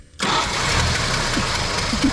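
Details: Barn-find 1973 Dodge Dart Swinger, 225 slant six, first run in 29 years: cranks and catches at once, settles to a steady, even idle; no misses or knocks.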